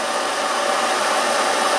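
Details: Svea 123 backpacking stove after rebuild with inner tube material and O-rings: steady even hissing roar at full flame, no sputter or surging; burner running clean.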